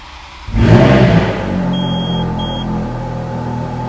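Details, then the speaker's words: 2008 Ferrari F430 V8 start-up. The gearbox primes with a slight whine heard outside, then a sharp crank and catch, a brief flare and a steady, smooth idle with a couple of short chimes: a healthy start. "I'll start it up so you can hear that beautiful V8 the gearbox primes as you can probably hear that little whine in the outside"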